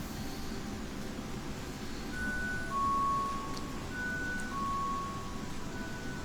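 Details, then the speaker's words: LG front-load washer LE error (motor locked): display shows LE and it beeps a two-note high-low alarm over a low hum; preceded by ratcheting noise, suspected split rotor plastic splines or cracked spider bracket letting the spin basket rub. "There we go. It shows on the display and you'll actually hear it beeping."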